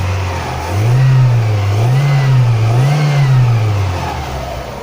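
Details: Fiat Doğan after cleaning the MAF sensor: three quick throttle blips rising and falling cleanly with crisp response, no hesitation; normal revving.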